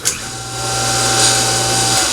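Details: Sand Dollar two-speed pool pump motor on high speed, just after its capacitor was replaced to cure a hum: a steady, smooth hum with a faint bearing whirr. Motor running normally, with a slight bearing noise.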